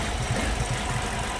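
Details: Ford Focus after an accident, setting lean code P0171, air box likely cracked: low, lumpy idle that wavers and shakes unevenly; lean running from unmetered air entering past the mass airflow sensor, which smooths out when brake cleaner is sprayed there.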